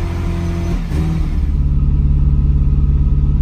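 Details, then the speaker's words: Ferrari 308 cold start during ongoing project: catches first time, dips briefly, then settles into a fast, even idle that stays too high; engine getting stronger with more fuel and better throttle response, still needs tuning. "this engine is getting stronger and stronger as time goes by running a bit more fuel through it just the response from the accelerator things like there is a noticeable difference still revving high need to tune but it sounds good starts first time"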